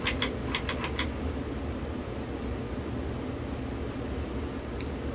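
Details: 52-inch SMC wood-housing ceiling fan on medium speed, drawing 0.49 amps: about six light clicks then steady soft whoosh, running smoothly, bearings faintly audible; normal operation.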